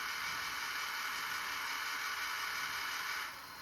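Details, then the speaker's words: JVC GR-SXM330 S-VHS-C camcorder after repair for E03 error/clicking, rewinding: smooth even tape-winding hiss with no clicking, easing to a slower speed near the end, as it should. "And you can hear how it goes to the lower speed. And that's the way it should work."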